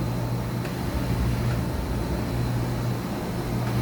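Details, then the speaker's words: 2013 Mazak HCN 4000 III horizontal machining center, X-axis moving side to side through 17 inches of travel: a smooth, even low hum with a faint steady tone, no knocking. Way covers and ball screw sound normal. "Here's a video of X-axis movement, side to side, with 17 inches of travel. Way covers are moving nice. Ball screw sounds good."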